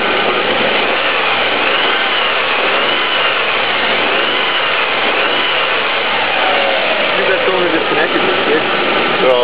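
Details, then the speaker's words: 1998 Honda Passport 3.2L at idle. A loud, harsh, rhythmic metallic rattle changes when one particular cylinder is cut during a cylinder cut-out test. This points to a rod knock ("death rattle") on that cylinder. "Death rattle Yeah that's what we call the death rattle yeah. That's a real serious problem."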